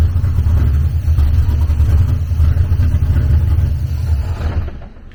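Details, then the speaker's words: LS V8-swapped BMW E46, first start, warmed up with fuel and oil pressure: deep uneven rumble with lumpy irregular firing fading at shutdown; rough running from a disconnected vacuum line and new bigger injectors not yet rescaled. "i could hear that we i don't have the vacuum line hooked up over here so we need to get the vacuum line hooked up and i never rescaled the injectors"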